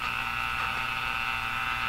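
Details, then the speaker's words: Northern Electric Baby Champ tube radio: constant staticky buzz with a high whistling edge that stays the same across the band and drops when a station is tuned; interference, suspected to be noise at the roughly 455 kHz IF frequency leaking through, not confirmed. "the staticky sound in that has nothing to do with a radio it's [Laughter] interference now as I tune across the band you can hear kind of the same noise the whole time"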